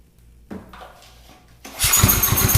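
Cranks quietly, then catches and runs choppily once fuel goes into the intake, pointing to a fuel supply or carburettor fault. Cause suspected, not confirmed.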